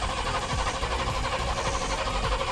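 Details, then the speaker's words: Cammed Chevy C10 that sat for months: steady starter churn, engine never catches. Owner suspects the carburetor dried out from sitting; priming underway. Cranking without starting. "unable to even get it started today just been sitting for a long time so it's really dried out"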